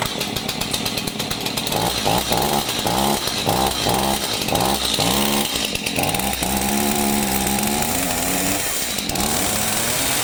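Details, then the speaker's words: Stihl MS 251 chainsaw, two-stroke, after bee removal and a new pull cord, fires on the first pulls and runs with a crisp buzz and clean throttle blips; normal running. "Whoa, she fired. That's surprising. Fired."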